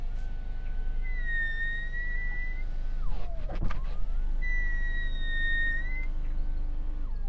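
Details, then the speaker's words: Genesis GV70: electric window motors are very quiet, but when the glass is wet a thin steady squeal sounds while it travels and dips as it stops; maybe particular to this car, wet glass chattering in its seals suspected. "While the electric window motors in this car are very quiet, if the window is wet, you get this strange noise."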